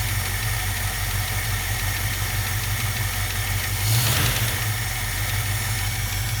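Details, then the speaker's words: 1967 Mustang convertible V8, parked since about 1994 (29 years), after all rubber fuel lines replaced: low, steady idle rumble with a brief swell, running on its own though smoking badly; owner assumes gaskets are bad. Normal idle. "all right so we replaced all the fuel lines on it all the little rubber pieces and as you can see it is running"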